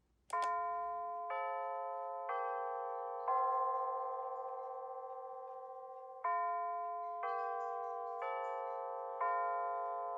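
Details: Bulova C3542 wall clock chimes after replacing old chime batteries that caused cut-off chiming and hour mis-sync: clear, bright multi-note chime about once a second, ringing evenly without dropouts or warble; working properly.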